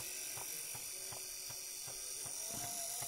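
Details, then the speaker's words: 1959 Clarion transistor battery 3-inch reel-to-reel portable recorder, back removed; thin whirring motor with soft tick about 2.5 times a second; motor drive wheel spring loosened to make it play, contact poor on rewind, needs setting up. "it's to do with the motor underneath the spring needs adjusting but in order to get it to play i had to loosen off a little bit needs setting up"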